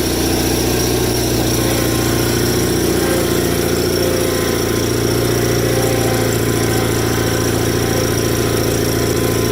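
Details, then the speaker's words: Rare factory-built Cub Cadet garden tractor, single-cylinder idling: loose, uneven metallic rattle over the idle from the PTO clutch counterweight disc flopping around; owner needs to tighten it. "that rattling noise you hear is that counterweight disc on the pto clutch rattling i gotta i gotta tighten that up it's not supposed to flop around"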